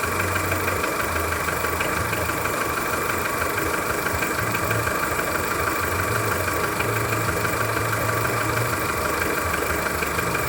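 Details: Skoda Fabia 1.4 at cold idle: dull regular knock about three a second from low near the timing belt, plus faint hydraulic lifter tick; dealer says normal piston slap, cause unconfirmed.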